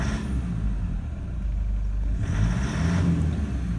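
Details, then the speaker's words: 2009 Toyota Land Cruiser Prado 120, 1KD-FTV diesel, injectors overdue: rough uneven beat like half a misfire on one cylinder; judged an injector issue, not the engine; oil pickup blockage suspected, blow-by suspected. "now i believe from my experience that that sound is all an injector issue it's not an engine issue at this point in time"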